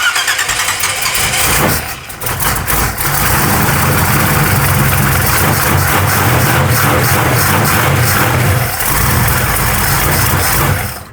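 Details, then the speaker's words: Truck engine on a freshly fitted old Edelbrock carburettor with transfer slots squared and idle mixture a turn and a half out, no choke hooked up: catches and runs unevenly with sagging dips; won't idle, needs tuning. "SHE WON'T IDLE, BUT IT DOES RUN."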